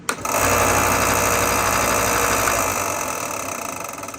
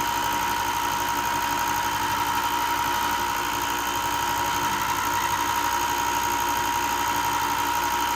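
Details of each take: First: Ryobi 4x36 inch benchtop belt sander, just over a year old, starts up with a dry regular clicking about four times a second from a damaged roller bearing; fix is bearing replacement. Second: Ryobi 4x36 bench top sander, just over a year old, after replacing a burnt bearing that caused loud clicking; steady motor hum with a clear high tone and even belt hiss, no clicking or knocking: normal running.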